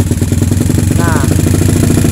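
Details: Kawasaki KLX150 with PE28 carburettor, idling after the air screw was set for highest rpm with throttle around 25%: quick, even single-cylinder beat with no misses or flutter, steady and clean idle. Mixture set right.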